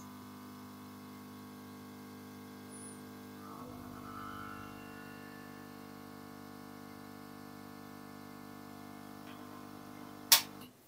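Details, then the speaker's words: Yihua 968 DA+ III soldering and desoldering rework station, before soundproofing, with airflow cranked up from lowest setting: steady low buzz with several even tones growing louder; the air pump is shaking the case. "it's very good but it's also very noisy I'll put it back on so that's on its lowest setting which isn't too bad but as we start to Crank It Up increasing the air flow noisy everything seems to"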